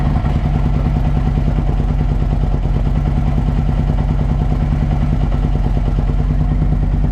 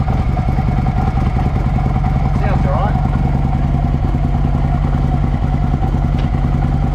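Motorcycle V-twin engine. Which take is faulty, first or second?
first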